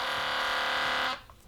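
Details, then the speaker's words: Philips Sonicare DiamondClean HX9340 electric toothbrush running: loud, harsh steady buzz, noisier than it used to be and vibrating loosely, caused by an internal drive link screw that has vibrated loose. "And the problem with it is, it's vibrating loudly here, it's gone loose. So if you listen. It's noisier than it used to be"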